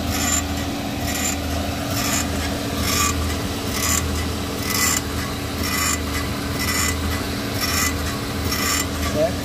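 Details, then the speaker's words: VW Fox, engine running with the wheel off, steering being turned; dry rasping creak about once a second, thought to come from the steering rack (possible water ingress), traced to a worn tie rod end. "Tem um barulho daqui, ó. Como se esse barulho vem lá da caixa de direção."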